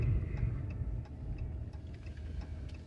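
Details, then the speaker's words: 2020 Ram 5.7 Hemi with 29,000 miles, cold start idle: sharp light ticks about three a second over the deep V8 idle, an exhaust manifold leak that sounds driver's side. "exhaust manifolds are sticking it sounds like it's the driver's side but they're both just as common to have it on a passenger side"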